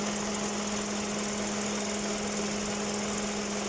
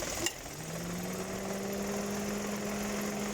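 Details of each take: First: 2018 Dodge Attitude at idle: switching on the air conditioning, the AC compressor clutch snaps in with a sharp click and brief high squeal, twice in quick succession, sounding like a loose accessory belt but coming from the compressor clutch. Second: 2018 Dodge Attitude idling after lubricating the rusty AC compressor clutch that squealed on engagement: single click as the AC clutch engages, then a steady idle hum with no squeal.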